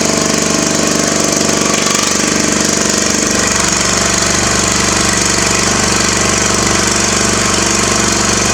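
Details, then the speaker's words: Craftsman mower small engine with muffler removed: loud raw rapid popping exhaust, running steadily unmuffled. "okay just pulled this muffler off the froze up poppy on the craftsman kind of want to hear what it sounds like"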